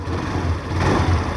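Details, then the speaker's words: Access 125 scooter started after an air filter and spark plug change: short, even, low engine hum with a slight rise in speed, no misses or rattles. Normal idle; the scooter runs smoothly. "तो अब मैं आपको दिखाता हूँ air filter change करने के बाद और स्पार्क प्लग चेंज करने के बाद गाड़ी का रिस्पांस। देखिए स्टार्ट, तो साउंड सुनिए आप।"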